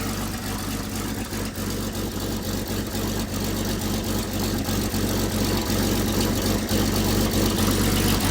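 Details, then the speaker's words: 97-year-old Buick Standard Six idling with the muffler off: an even chuffing beat of about four puffs a second with blowback, because a fallen exhaust pipe was blocking the passage; restricted exhaust. "Okay, I believe there's a problem in here. Um so, I'm going to take both of these off and fix this pipe while um because it had fallen and blocked this off."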